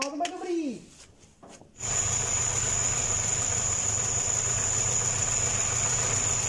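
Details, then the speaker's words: Homemade small tractor with Škoda 1202 engine, first start after converting from twin-barrel to single-barrel carburetor with a made adapter: steady idle with loud constant high hiss and thin whistle; hiss source unconfirmed. "syčí to jo slyšeli jste to ono to tam někde Syčí nepřidám plyn prostě ten stič"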